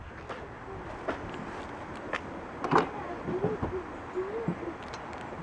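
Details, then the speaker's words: 2005 Toyota Sienna driver-side power sliding door: scattered clicks, then short rising motor whir with no door travel; door moves if pulled, owner suspects a non-working motor. "So the first thing I noticed was when I go to this door, it makes a noise before it opens."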